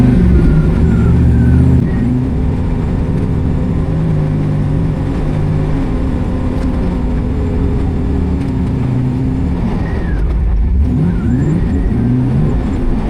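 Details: International Scout on a 34° morning drive misfires in third and fourth gear above 2500 rpm, struggling to hold 60 mph. Uneven, stumbling drone with dips in pull; cause unclear.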